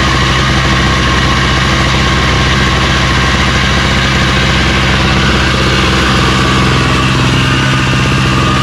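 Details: Craftsman snowblower running after electric start (pull starts with prime, full choke and carb spray had failed): loud, even engine drone with no misses, knocks or rattles; nothing wrong with it.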